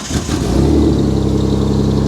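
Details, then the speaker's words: Mitsubishi Diamante, believed to be a timing-belt engine, needing a flex pipe, blipped: a quick rev settles into a smooth, even, steady run with no knocks or rattles; the engine sounds healthy, a normal rev. "that that sounds a lot better than some of the cars you've had it sounds better than most of the cars i have"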